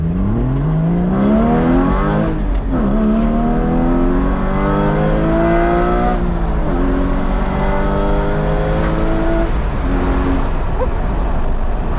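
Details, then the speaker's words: 981 Porsche Cayman GT4 on stock exhaust, windows open on a tree-lined road: engine note climbs cleanly through several gears with crisp shifts, a unique bark and no rasp or rattle; healthy exhaust under acceleration. "with the windows open, it's just got such like a bark, and like it's hard to describe. It's quite a unique sound, but it just makes you want to floor it even more."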